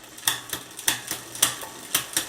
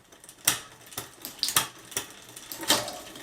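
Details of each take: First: Bicycle rear derailleur on a new direct-mount hanger, after micro-adjusting: light, uneven ticking as it tries to shift but does not complete the shift, so further adjustment is needed. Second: Bicycle rear derailleur on a new direct-mount hanger after re-entering adjustment mode and adjusting: a handful of crisp, clean, complete clicks as it now shifts properly.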